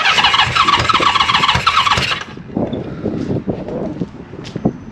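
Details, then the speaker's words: 1974 Honda CB550 under restoration, first start after wiring and points fixes, fed brake cleaner: after a hiss the engine fires and runs in uneven bursts for a few seconds. "actually sounded like a running motorcycle [Music] I think that's nice that sounded good that was actually running all right so it's the first start"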